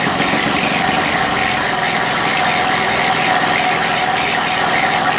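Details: Honda EU3000is generator after a valve adjustment, sediment bowl cleaning and exhaust refit with the old gaskets, previously noisy: steady, even hum with no knocks, misses or surging. Now running smoothly and quietly.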